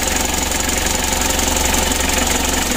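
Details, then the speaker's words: Mitsubishi L300 diesel at idle, before repair: a loud, hard clatter with quick, uneven pulsing while the engine shakes; the running is very rough with a snoring, droning sound. "untuk permasalahan pertama mesinnya goyang seperti ini lalu yang kedua Suaranya sangat kasar bertelur suaranya ada ngorok"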